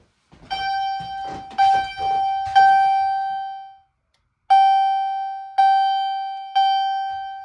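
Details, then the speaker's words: Fire-Lite MRP-2001 panel test: chime set to Temporal pattern sounds three bright bell-like strikes about a second apart, a short pause, then three more; normal temporal-3 evacuation signal, slower than continuous, likened to a Dodge chime. "All right, next up, we'll go ahead and do Temporal. It's really interesting. Slows down. So it just sounds kind of weird, but yeah."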